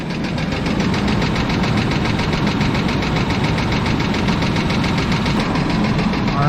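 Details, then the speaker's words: 1996 Chevrolet Blazer LS bought at auction, knocking after being driven on the interstate: rough idle with a steady, deep, even knock, thought to be near the front two cylinders, with small revs; owner suspects rod knock, unconfirmed. "well I'm no expert and I have no idea what I'm doing sounds like a rod knock to me"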